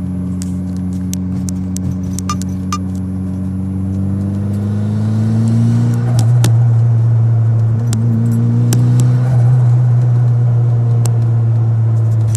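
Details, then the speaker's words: Engine revving and dropping through a gear change after high rpm, with sharp light clicks over the engine note; car also has a suspected boost leak and high idle; clicking cause unconfirmed. "number three i can hear a funny click when i shift gears"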